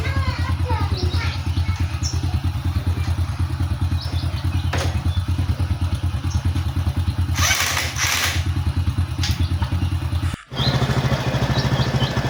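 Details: Honda Supra X 125 single-cylinder motorcycle after repairing a rough-sounding engine (cam chain and tensioner work), at idle: steady even thump with no knock, tick or rattle; now running smoothly.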